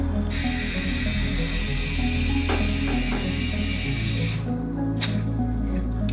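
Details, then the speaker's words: Subaru Forester tyre with zero air being inflated: steady, loud hiss for about four seconds as air escapes as fast as it goes in; the leak is too bad for plugs or silicone to fix. "I can hear that. Hear it coming out as quick as it's going in right there."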